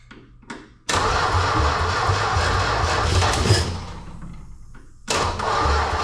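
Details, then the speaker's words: Plymouth Duster, first start after parts replaced, running on a little gas poured in the carb bowl. It fires after a brief crank into a loud, rough open-pipe idle on bare manifolds with no exhaust; no knock or rattle. "as you can hear it's definitely loud um it just has manifolds with no exhaust so that explains that"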